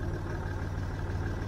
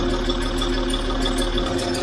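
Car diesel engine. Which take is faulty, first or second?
second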